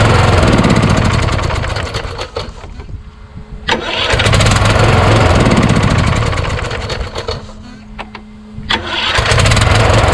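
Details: Craftsman YS4500 lawn tractor repowered with a Kohler Courage single, about 36°F: starter drags the engine in slow, labored bursts that bog and stall on compression; owner suspects a weak starter needing replacement, not the Bendix gear; valves already at adjustment limit.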